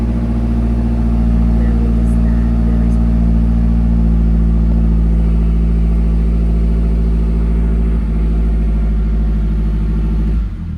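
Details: 2010 Mazdaspeed 3 starting after dash removal and a used body control module swap to cure a U0140 code, check engine light flashing: engine catches and settles into a smooth, even low idle with steady pulse, no knocks or misses; normal.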